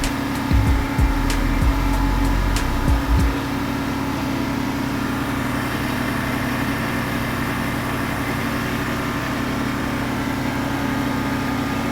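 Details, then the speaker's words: 1989 Chevrolet R3500 dually, R134a AC retrofit, engine at 1500 rpm as first can of refrigerant goes in: steady loud drone with compressor hum and early clunks; loud compressor, relief valve later vented. "That compressor's loud."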